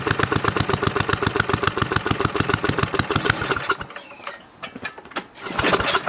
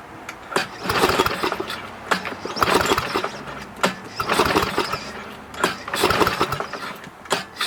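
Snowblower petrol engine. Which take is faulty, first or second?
second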